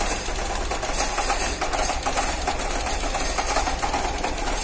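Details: Cold engine in the morning shaking with ticking: uneven idle with light irregular ticking roughly every couple of seconds; cold-start ticking and rough running, cause unclear.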